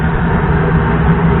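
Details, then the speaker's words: Gas pack furnace after replacing a seized draft inducer motor with a factory assembly, power restored: steady, even low hum and airflow rush with no scraping or rattle; new inducer running normally, system heating. "So our inducer motor is working and everything's working fine."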